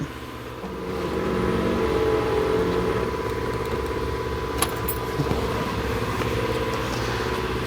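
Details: 2001 Buick LeSabre rear power window, glass reseated in the clamps: a steady motor hum as it travels smoothly upward, with no grinding, clicking or stalling; normal operation.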